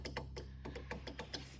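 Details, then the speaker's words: DeLorean (EcoBoost) driver-side door power window motor: sharp, uneven clicks about five a second as the motor tries to work but doesn't move the glass; motor found loose in its mounting, regulator replaced. "I'm just trying to fix the motor I did figure out that my window motor is trying to work you can hear it"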